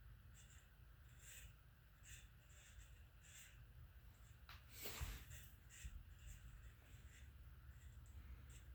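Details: Harbor Breeze Marco Island 52-inch ceiling fan made in August 1996, hugger mounted: a high chirping squeak repeating about once a second over a low steady motor hum, from bad, worn bearings.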